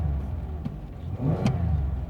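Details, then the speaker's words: 2006 Chevrolet Impala LT. Low, even engine drone swells smoothly with a quick throttle blip and settles back, with no knocks or misses. Engine revs normally. "yep, it revs up nice."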